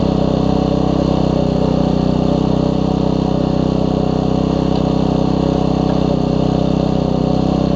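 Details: Troy-Bilt Tuffy tiller Briggs & Stratton single-cylinder engine after fitting a brand new carburetor: steady, even low beat with no misses or surging; runs properly, better than before.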